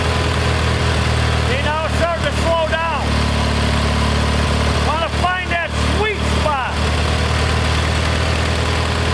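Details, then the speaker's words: Kohler Magnum 20 after a carburetor rebuild. Loud, even single-cylinder thumping at fairly steady speed as the mixture is set. Tuning is about as good as it gets; the fuel pump is suspected weak. "that's probably as good as i'm going to tune this carburettor because this engine has obviously got some"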